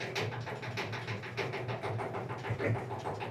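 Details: Clothes dryer: steady rumbling drum with a regular thump, a knocking dryer drum. It was fixed by removing the drum and fitting new roller wheels.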